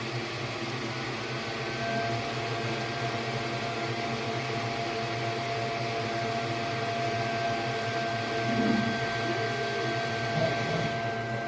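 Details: xTool S1 20W diode laser with rotary attachment engraving a curved tumbler: steady, even whir with faint stepper tones running unbroken; normal engraving operation.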